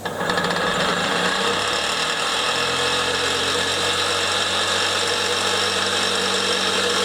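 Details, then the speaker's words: Fire-truck compressor pump converted from a 240 V motor to a 12 V hydraulic pump motor on the main shaft, running: harsh gritty whirr and rasp of rough bearings needing urgent replacement, plus a knock from the drive. "as you can hear the bearings are rough [Music] really rough that's these ones I need replacing urgently"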